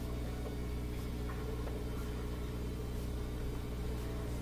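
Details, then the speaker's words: Bosch Axxis washer that won't spin during cycle, running diagnostic test mode drain stage: steady low pump hum with even rush of water, no grinding or rattle; water draining quickly, drain pump working normally. "seems pretty good seems like it's uh sounds like the water is moving quickly you can see the water going down inside the spin basket"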